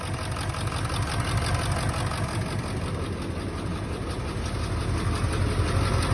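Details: 1999 Ford F-350 7.3 Powerstroke diesel idling rough: deep uneven chug with a lopsided beat from a cylinder not firing; injector misfire suspected, being checked by unplugging injectors.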